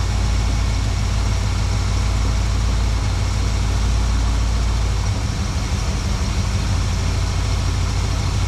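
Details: 1972 Plymouth Valiant 318 V8, Holley 600 four-barrel refitted after fixing a rich-running fault: steady, even low rumble at idle, no misses, stumbles or hunting, much better than before.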